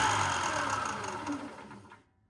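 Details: Ryobi 4x36 bench-top sander, about a year old, after replacing a burnt bearing: the motor hums smoothly without its former clicking, then winds down and stops.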